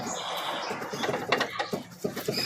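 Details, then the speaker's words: 2015 Fiat Palio, front left wheel, filmed from below inside the wheel while rocked by hand: light irregular clicks and knocks from a loose lower control arm ball joint. On cobblestones it rattles badly and is often mistaken for a bad steering box. "isso aqui é um problema comum pessoal Olha aí o barulho"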